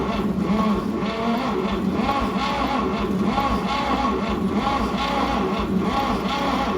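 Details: 1950 Chevy 3100 pickup, first start attempt in 35+ years: slow, even cranking about once a second that doesn't catch despite good hot spark; plugs likely dirty; later runs briefly then dies, points badly need replacing.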